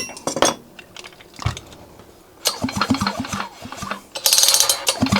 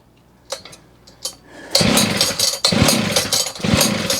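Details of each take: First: John Deere 550CS chainsaw, engine resealed and reassembled, carburetor not yet installed: several pull-starts, each a quick run of firm, evenly spaced compression thumps; the engine turns over with good compression. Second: John Deere 550CS chainsaw after maintenance and reassembly with a modified handle, cylinder cover off: a couple of pulls, then it catches and runs ragged, surging and sputtering; hard starting with a fuel smell, and flooding is suspected.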